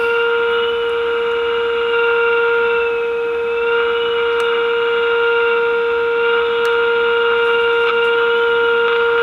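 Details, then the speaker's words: Early-1950s GE Model 607 tube portable radio on the bench during alignment after tuning capacitor adjustment: steady unwavering whistle over faint hiss; the set breaks into oscillation. "and that's it all right and of course as soon as I turn the camera on it's going to start oscillating"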